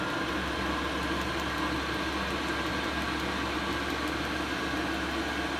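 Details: Chinese diesel air heater, previously faulty, bench tested with horizontally mounted dosing pump, drawing slight air through a fuel-line clip: steady fan whoosh and low constant burner rumble, no surging or popping; running normally.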